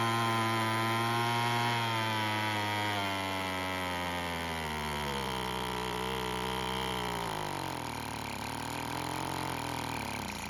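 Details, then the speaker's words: Weed Eater two-stroke leaf blower after a splash of fuel was added: it buzzes but its pitch wanders and sags, then it stops; a lean idle mixture is suspected. "Now that is a whole lot better, however it eventually stopped, so maybe it needs a bit more fuel."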